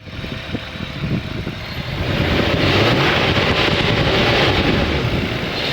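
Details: BMW E36 328 M52 petrol six, idling then revving: a light metallic rattle. The owner thought tensioner or VANOS, but it seems to come from the back of the engine on the inlet side. Cause unconfirmed.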